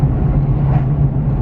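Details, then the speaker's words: 1999 Ford Explorer bought at auction, driving after adding transmission fluid, about two miles in: steady even low drone with no ticks, squeals or knocks; shifts good, no hiccups, running normally. "so far i did uh two miles and it's running great shifts good no hiccups no weird noises so i think this is going to be a winner"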